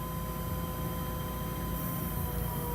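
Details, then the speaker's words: 1976 Datsun 280Z fuel-injected, key on with fuel hooked up from a bottle: faint constant mid-pitch electric hum, no surging or rattling; fuel pump running and priming normally, though injectors later found leaking. "Okay, I'll turn the key, we'll see if we hear the pump, and then we can check the fuel, make sure that it did pump fuel up through the filter. Yep, I can hear the pump running."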